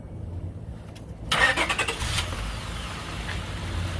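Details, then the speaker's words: 2004 Honda Accord 3.0L V6, first start after engine flush and oil change to 5W-20 synthetic, about 4.7 quarts: short crank catches quickly, settles into quiet, even idle with no knocks or rattles; normal start. "our first start up with AMSOIL let's hear her purr"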